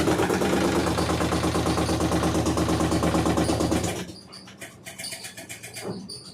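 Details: LG top-load washing machine running with a loud, regular churning rumble of about three beats a second, then dropping away; rough gearbox noise, cause unclear.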